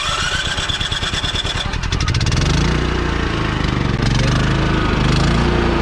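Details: Champion 3500 W remote-start generator in a 1990 Fleetwood Bounder RV: cranks with fast chugging pulses, catches and runs at steady even hum with generator-powered 12 V cooling fans whirring; normal.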